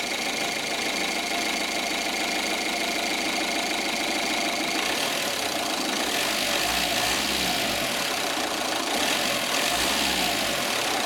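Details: 1.9 CDTI diesel (Zafira/Astra/Vectra), code P1125: dry, uneven rattle over a hissy thin engine note, with shudder and jerk on shutdown, caused by a faulty throttle valve.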